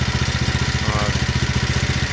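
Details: 170F single-cylinder engine after a full teardown with a new crankshaft and connecting rod: even, regular thumping at about twelve beats a second, the earlier knock gone and no clatter; runs smoothly.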